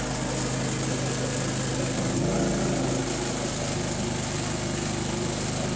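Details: Harbor Freight Predator 3500 W generator, 1000 hours, just serviced (new spark plug, air filter cleaned, oil changed, spark arrestor cleaned): steady single-cylinder buzz shifts once, settles to even governed speed, no misses or knocks; normal running.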